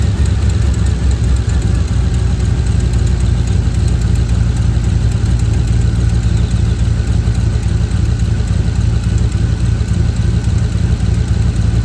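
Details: Ford F-150 at idle: deep, uneven, loping idle of about three to four pulses a second; rough idle, owner suspects a timing chain issue.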